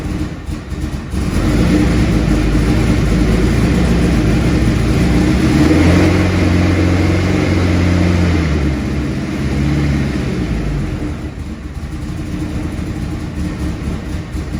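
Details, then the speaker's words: Mitsubishi 4G63 compound-turbo four-cylinder in a 1991 Fox body Mustang, first start, cold: idling slow and slightly lumpy at about four beats a second, idle speed too low; noisy starter and small upper exhaust leak also noted. "Idle's a little bit low when it's cold. I really need to do something about that."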